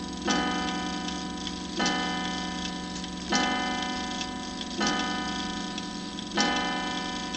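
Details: 1907 Gilbert tambour clock striking the number of the hour after the half-hour ring: clean, evenly spaced bell strikes each fading before the next; strike train working properly.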